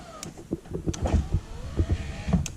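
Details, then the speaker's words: Neglected Lincoln Town Car rear power window after an electrical repair: smooth motor whir through the glass travel with soft clunks at the stops; works normally again. "now the back window's working."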